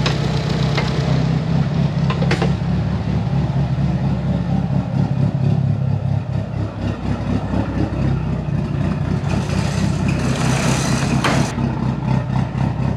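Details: Tial BOV just installed on a car started cold that morning: uneven idle that sags and surges on throttle blips, running rough; owner thinks it feels like fuel cut but smells very rich, cause unconfirmed.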